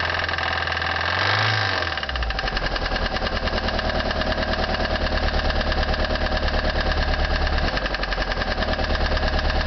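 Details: 1989 Toyota Corolla 1.6 L, 255,000 miles, well maintained but hard used, idling with deep steady rod knock about three per second.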